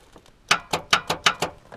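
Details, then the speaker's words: Truck with a fully charged, good battery: five sharp, dry clicks in about a second from the starter with no cranking while the radio and power work. Starter clicks but won't crank; owner suspects the starter is bound against the flywheel or faulty. "now watch everything like radio everything power all you hear is clicking and it's from"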